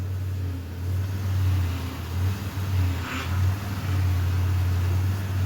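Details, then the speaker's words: Chevy Impala, engine idling while steering wheel turned back and forth, after power steering repair: low even engine hum with no whine or groan; steering pump noise almost completely gone, later drives smooth with no whining. "the noise is just about completely gone it's alive it's alive"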